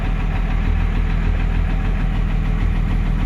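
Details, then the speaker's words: 1999 Dodge Cummins 24-valve diesel, 304,000 miles, first start after 2–3 years sitting, injector lines had been cracked, slow diesel drip, slight blue smoke: steady, even diesel clatter with deep rumble, no misses; normal idle. "Ah, oil pressure, baby. That's what I'm freaking talking about. Let's see if we got a bad diesel leak still. Nope. Just a slow drip. I think that's just from having the injectors cracked. A little bit of blue smoke. Sounds pretty good."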